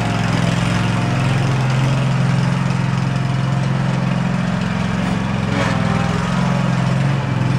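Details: Field-find riding lawn mower on its first drive test, before its oil change, throttle all the way up: steady, even single-cylinder thrum under load while driving, no misses or knocks; healthy.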